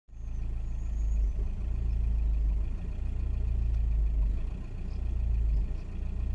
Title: 2001 VW Passat 1.9TDi misfire